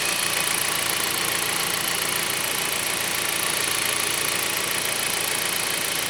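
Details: 2008 Jeep Patriot Limited idling after an oil change, ABS lights now on: even idle with a steady hiss-like mechanical whir, no distinct knocking or misses; engine sounds normal.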